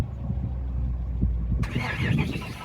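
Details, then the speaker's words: 1993 (possibly 1998) Pontiac Firebird that will not start. The starter churns at an even beat with no firing, and there is no spark at all. Coil powers and grounds and the crank sensor signal are to be checked next. "see there's no spark whatsoever coming out of that all right so no spark equals no spark"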